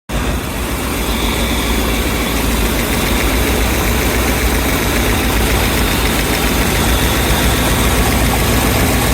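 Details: 454 big-block Chevy V8 in a boat idling rough, exhaust beat stumbling; constant cylinder 8 misfire at 8° BTDC, none at 23°; pushrods straight, compression good, plug swapped, no vacuum leak found; runs better with plug 8 unhooked; cause not found.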